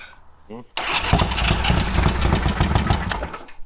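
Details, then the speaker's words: Old Harley-Davidson V-twin, 9.8:1 compression: brief sluggish crank catches into a rough, loud run that floods and dies after a few seconds when given gas; cranking too slow. "come on yeah yeah as soon as we give it gas it floods it and it stuck it was smoking where like on the back of that red one foreign all right so I had a feeling it just wasn't turning fast enough with the 9.8 to 1 compression engine it just needs to spin the fire"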